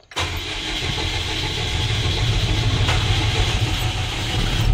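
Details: FAW diesel truck with hard starting and low power, in neutral: engine labours unevenly for several seconds, rough and struggling to pick up cleanly; fuel filters to be checked for water.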